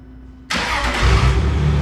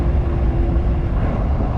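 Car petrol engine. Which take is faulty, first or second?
second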